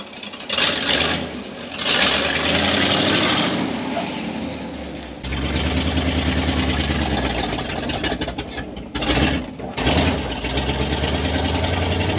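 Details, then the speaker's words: 1978 Chevy K10 4x4 project truck V8, known to run horribly, started for a drive: settles into an uneven, lumpy idle that surges between blips, stumbling rather than running smooth; rough-running engine. "I mean we know it runs horrible we've done this before but why not let's do that"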